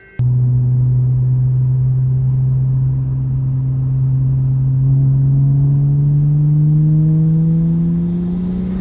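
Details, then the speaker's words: BMW 335i N54 single-turbo during the electric coolant pump bleed procedure (pedal held, about 12 minutes): steady low hum slowly climbing in pitch with a faint whir, the water pump circulating coolant as expected. "That's just the sound of the water pump taking the water all through the system."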